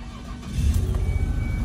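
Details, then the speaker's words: 2002 Ford Escape 3.0 V6 after repairing a blown-out spark plug thread hole with an insert kit: engine catches and settles into a steady, even low rumble with no skipping or puffing; no misfire felt, plug not blowing out. "all right sounds good sounds good sounds real good put our hand on the engine and it doesn't feel like it's misfiring"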